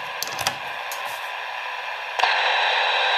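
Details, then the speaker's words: Standard switching power supply, as found on many electronic devices, radiating RFI into nearby radio: receiver hiss jumps louder after a brief delay and stays up. "here's a standard switching power supply you'll find on many electronic devices"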